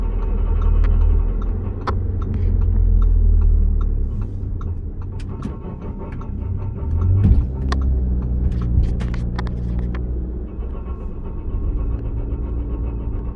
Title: Grinding Noise